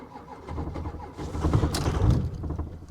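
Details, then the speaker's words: Diesel Ford F250 at salvage auction, started on a booster pack after glow-plug heater light: slow labored cranking, brief rough catch that swells then fades; fires then dies, suspected lost fuel prime. "ah it ran it ran hot damn oh come on old girl you're kidding me it fires up and then it dies"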